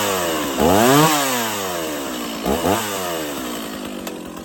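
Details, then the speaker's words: Stihl 024 chainsaw after carb tuning and makeshift aftermarket air filter, refueled and bar oil added, started without choke; two-stroke revs up crisply twice and drops to a steady even idle without stumbling; sounds good; normal running. "Just gonna run it, guys. Sounds good to me."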